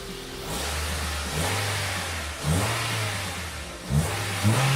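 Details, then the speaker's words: Honda Civic EM2 with D17A2 engine, running after tightening an exhaust valve adjustment; steady low idle with quick clean throttle blips, revs rise and fall smoothly; normal idle and rev. "man tightening up this exhaust valve was made old world of deference this engine sounds fantastic now everything sounds good real good"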